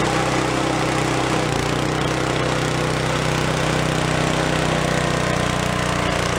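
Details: Gilson snow blower (free roadside find, carb previously cleaned of acorns) after electric starter repair, running steady and even at working speed, no misses or knocks; throttle slowly vibrated down from full, linkage tension needs tightening; normal running.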